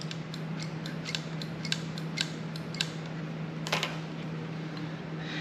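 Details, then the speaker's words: Accelerator pedal idle micro switch worked by hand: sharp light clicks about every half second over steady hum as switch goes closed to open when pedal is pressed; switch works normally. "so it's closed and then open and then once you put your foot on the gas it opens up and you can hear the clicking of the switch"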